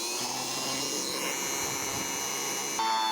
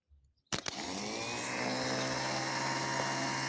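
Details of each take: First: Car starter from 2001, apparently modified, bench-tested on 12 V battery with jumper cables and wood-block load: high steady whirring holding speed without grinding; starter works well. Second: Car starter from 2001 bench-tested on 12 V battery with jumper cables, solenoid working: steady high whir and rattle spinning free; under wood-block load it stops rotating, fault in the armature shaft, which can be replaced.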